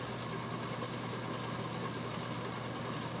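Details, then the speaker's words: 1988 Hunter Embassy 42-inch ceiling fan with a 172x12mm motor, estimated at about 240–250 rpm: constant low hum under a loud, rough rushing rumble from worn bearings that are very loud but not hissing; the bearings need replacing. "was good those bearings are ridiculously loud at least they're not hissing"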